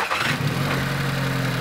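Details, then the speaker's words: Noisy Volkswagen GTI GDI engine at startup: catches and settles into a loud, busy idle with harsh clatter; carbon buildup is suspected. "you can easily hear the noise it's making the gdi engines have a tendency of carboning up and you get a lot of engine noise as the carbon builds up"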